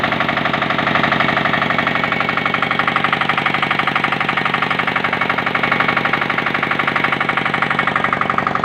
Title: KPor Engine Tested After Overhauling